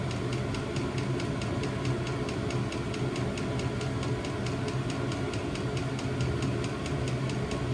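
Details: New diesel heater replacing old petrol heater in VW T25 Westfalia, first startup after E10 errors in cold January; steady fan roar with crisp regular fuel pump tick about four a second, running evenly.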